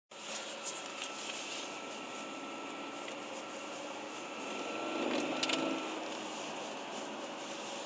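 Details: BMW 330d running: a thin, steady whistle above a hissy, air-like engine note; cause unknown.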